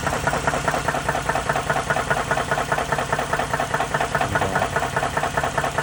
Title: Can you tell what the problem is with this engine? ￼#knocking #ping #jacked #blownup #trash